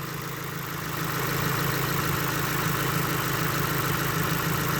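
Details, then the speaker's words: Subaru WRX idling while it is being run at stage 0 / unmarried tune during ongoing tuning troubles: an even, slightly gruff rumble that settles, with no knock or tick. Sounds normal, though noisy like a lawnmower. "I mean, you can tell it still sounds normal. I mean, it sounds like a noisy lawnmower in my opinion still, but really weird."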